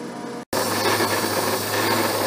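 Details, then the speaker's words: Abene mill cutting slot in broach bushing at slowest table feed: continuous rough rasping chatter that persists despite slowing, after bolts were re-snugged for vibration; cutter suspected dull, unconfirmed. "slower way down but i'm still getting some chatter i said this cutter may not be as sharp as i thought it was"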